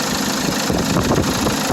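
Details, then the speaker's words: Mitsubishi FUSO diesel truck with replacement engine, after fixing a no-start caused by a loose bottom fuel line that could not hold pressure to the injectors: even, steady idle with smooth rhythm, no stumbles or misses; sounds better than previous engine. "if you can hear the engine it sounds a lot better than what the previous engine did so have a good day guys"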